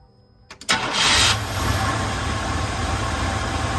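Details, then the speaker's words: 1988 Chevrolet 1500 Scottsdale V8 just after new spark plugs, still a little cold, Seafoam added (owner suspects Seafoam and weak ignition were part of the earlier rough running): short crank, quick catch and flare, then a steady, even idle. Normal start and idle. "Totally different. Yeah. Still a little cold. But it's staying running."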